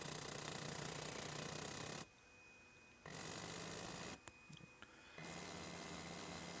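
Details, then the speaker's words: Berdair 12 V pump on a PWM signal generator at 15% duty cycle, frequency raised from 20 to 30 Hz: a steady low hum with a faint high whine and no surging. It is running much smoother. "that's 20 Hertz 30 much smoother again it's still only at a 15 duty cycle at 30 Hertz"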